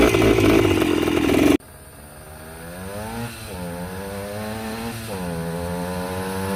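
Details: Yamaha 125 enduro two-stroke running after fresh spark plug and fresh gas (earlier suspected oil fouling): loud crackly blip, then crisp ringing note climbing evenly with revs, no misfire; normal healthy running.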